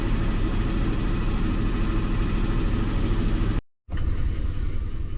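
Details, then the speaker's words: Lincoln MKT V6 idling, deep uneven lumpy rumble; cylinder 5 not contributing in power balance test, misfire traced to cylinder 5 ignition coil circuit. "number five is a cylinder that is not contributing at all"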